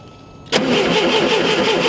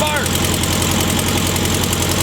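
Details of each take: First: VW Super Beetle with the original distributor and condenser refitted: the starter spins the engine evenly but it never fires; no spark, and the condenser turned out not to be hooked up. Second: VW Super Beetle flat-four, first start after a long fight: steady, even chuffing idle around four beats a second with no misses or knocks. Normal idle.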